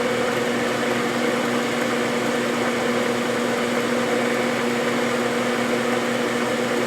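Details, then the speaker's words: Hamilton 6-inch metal lathe half nut being machined from soft material with sharp cutter, 50 per pass: constant even spindle whirr, no chatter or squeal; smooth cut. "this is pretty soft material um this is a good sharp cutter I could probably take 100 at a time if I really wanted to but this is good I'm getting a nice smooth cut so I'd rather take my time and do a few passes rather than push it"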